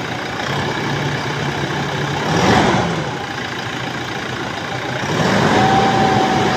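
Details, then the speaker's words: Toyota Hilux diesel, 27,000 km, idling then revved twice; thin whistle climbs and lingers with each rev, mechanic suspects turbo; debris from the air filter had entered the turbo. "Engine की side से यह अंदर भी आवाज़ ए रही है अगर आप सन रहे हैं जो की टर्बो से मुझे लग रही है की टर्बो की आवाज़ है"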